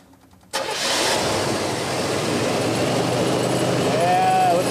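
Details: Car just fitted with an alternator, belt tight, meter hooked up: quick crank, catches cleanly and settles into a smooth steady idle with no stumble or squeal, charging almost 15 volts; starts and runs normally.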